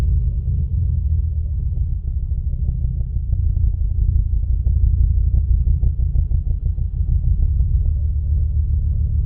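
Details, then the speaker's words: Ford Focus ST 5-cylinder, after new MAF sensor and WD-40 on connector, pending code P1101 gone: uneven, loping idle with deep rumble stumbling every few beats; still misfiring, cause not found. "It's not even coming up with that pending issue no more. But it's still missing."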